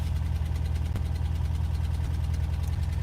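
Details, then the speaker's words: Van engine after a long crank to start, mic windscreen off. A lumpy, uneven idle with a loose thumping pulse around three per second: rough running. Oil is low on the dipstick; cause not confirmed. "Rough, bro. That sounds like [ __ ] Have you guys heard enough?"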